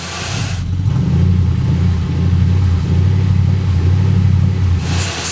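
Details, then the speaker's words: Car sitting for years, first start: low uneven lumpy rumble, about four beats per second, running rough only on starting fluid; owner suspects a bad fuel pump, fuel pressure test pending. "right now it is literally running on the starter fluid."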